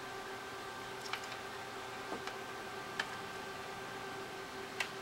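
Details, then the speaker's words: 3rd-gen iPod: faint uneven ticks every second or two over hiss, no steady spin-up hum; hard drive gets signal but fails to spin up, owner suspects drive is dead; drive and battery replaced. "now the reason I suspect the hard drive on this one is cooked is because it does try to spindle up and I can hear it going it makes a sound which is like a sound like that"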